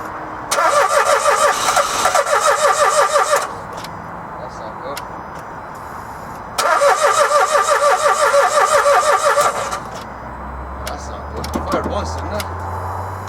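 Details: Dacia Logan first start attempt after timing chain replacement: two three-second bursts of brisk, even starter cranking, about three beats a second, never catching; a no-start, owner wonders about bleeding petrol through, not confirmed.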